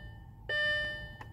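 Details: Audi A4 B6 1.8T instrument cluster during the diagnostic output test after the dial faces were changed: a single clear gong rings out and fades over about a second, plus a faint second tap; the chime works as it should.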